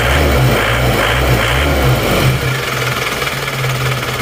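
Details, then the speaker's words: Isuzu Panther diesel, compression 28 bar on all cylinders, nozzles serviced, complaint of low power: harsh hammering clatter at idle, about four knocks a second, vibration felt in the cabin; injection pump timing too far advanced. "Suaranya galak ya, lalu maju timingnya. Kita coba dulu jalan raya. Tapi mesinnya sangat berisik, kalau dipakai jalan berisik, kerang gitu."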